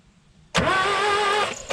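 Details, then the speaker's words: 1967 Toyota Corona RT40 stored 40 years, cranking on starter after battery wiring redone with one plug connected; about a second of even starter whine, engine spins freely but never catches; no spark at plug, coil to be checked next. "Donc on n'a pas d'allumage à la bougie, on va essayer de voir s'il y en a à la bobine."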